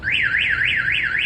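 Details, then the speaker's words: 2004 GMC 2500 HD with newly installed Viper alarm (remote start, kill switch, shock sensor): loud siren sweeping up and down about three times a second, tripped by the shock sensor when truck is hit. "it's got a kill switch has a shock sensor I'll show you guys real quick how that shock sensor works it's got the kill switch so let's say somebody hits your truck"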